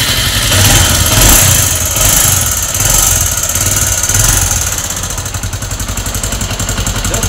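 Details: Bajaj Avenger 220 motorcycle idling with a loud metallic clatter and uneven knocking from badly worn internals. It is due its second engine rebuild, has lost compression and will not move in gear.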